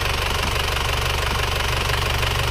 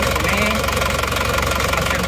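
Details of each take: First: Isuzu Panther Touring diesel at working temperature after engine overhaul with liners restored to original; earlier it smoked a year after a previous rebuild. Now a smooth, even light idle clatter of about four beats a second, no knocking, no dipstick blow-by, smokeless exhaust. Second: Isuzu Panther Touring diesel, overhauled a year ago but blowing by again; cold idle loud, rough, shaking, lumpy beat with heavy knock, one cylinder weak; mechanic suspects scored liner; oil filler shows heavy blow-by.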